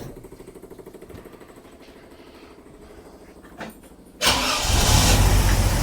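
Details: 45-year-old 2.8-litre Vauxhall Royale coupe petrol engine, carburettor just swapped and set to baseline with idle screws given extra half turn for more fuel: uneven pulsing idle then sudden loud rough blast; rough running, mixture likely off.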